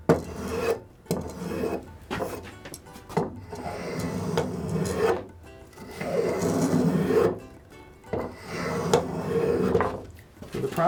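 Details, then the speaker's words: Pinnacle No. 151 spokeshave shaping a kitchen stool handle: even rasping strokes with no chatter once the blade is skewed. Going straight on gave a rattle; skewing gives a cleaner, more controlled cut. "See how that sounds a little cleaner? When I was going straight on, you hear that rattle? It didn't want to take the cut that way."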